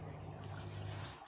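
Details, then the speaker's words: Kitchen grey water pump in France lifting water 2 metres to the sewage line, recorded right beside the pump as the sink drains: low steady hum about a second, then clean cutoff as float switch drops. Normal cycling. "And the reason you hear the pump stopping and starting is because there's a flotation device inside the pump, and the pump only kicks in when the device gets up to a certain level. One short burst and it's pushed enough water up the pipe, and it won't kick in again until the level"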